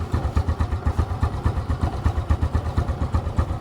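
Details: Smash 115 motorcycle single after a tune-up with intake and exhaust valve clearance set and spark plug refitted: even, rhythmic low chuffing at slow idle with no rattle or tick on top; runs clean and steady; normal idle.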